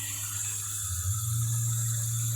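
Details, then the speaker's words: 3D printer layer (part cooling) fan, original and about two years old in an ABS enclosure, held at 100 percent (255): steady hum with a faint whine and airy hiss. It still moves air but sounds weird; owner thinks it may be due for replacement. "oh it sounds like this thing might be due for a placement this this fan is original it's probably about two years old and what if there's just something in here it sounds kind of weird but"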